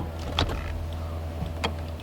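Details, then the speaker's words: FiTech 400 hp EFI on V8-swapped Mazda RX7 FC, hot start: low steady electric hum for a couple of seconds at key-on with a few clicks; normal fuel pump priming. "you hear the fuel pump priming"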